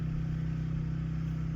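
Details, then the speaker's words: Portable generator outside a window during a power outage, started via pull cord (electric start battery too weak), powering household loads: steady even low drone with fast regular pulse, no knocks or misses; runs smoothly. "Their generator is outside the window. It is a little loud, but we'll put up with that if we have power."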